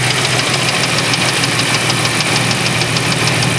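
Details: 1994 Chevrolet Astro van, idling: sharp, uneven tapping clunk about twice a second over steady idle, same with belt on or off, so internal. Cause unconfirmed; will pull upper plenum and check oil for debris.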